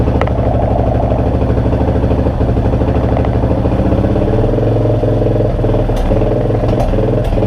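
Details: 2002 Yamaha XT600E single-cylinder: steady thump turns ragged with skipped beats and pops as revs change; engine misfire.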